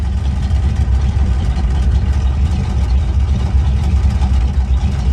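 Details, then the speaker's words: 1971 Chevy pickup with aftermarket temp gauge, good oil pressure: deep, even rumble with no knocks, misses or rattles, steady speed throughout; a smooth, healthy idle. "Runs nice and smooth. Got the, you know, the bomber jet on it with point still power steering power brakes. That really runs nice and smoothly."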